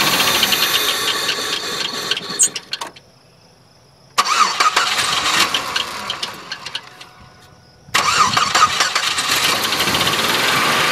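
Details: Oldsmobile Silhouette van jump-started; catches, falters twice and restarts, idling rough and uneven with a high-pitched light ticking knock that fades when revved, caused by a loose rocker arm bolt producing noise and a misfire.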